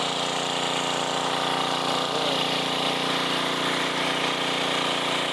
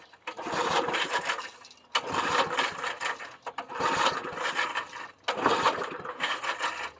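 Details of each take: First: 1990s Sears Craftsman 2400 W generator, started after fuel and a splash of gas in the carb, on run with choke: fires right up into a steady, even buzzing drone without misses or surging; normal running. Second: 1990s Sears Craftsman 2400 W generator, on choke: four recoil pulls, engine turns over but never fires; turned out it had no fuel, ran after fueling and priming the carb.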